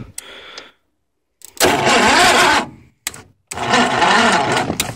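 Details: Ford YT 12.5 lawn tractor on a frozen cold start, solenoid bypassed: short, uneven bursts of labored cranking that never catch; dead battery too weak to spin it, ran after charging.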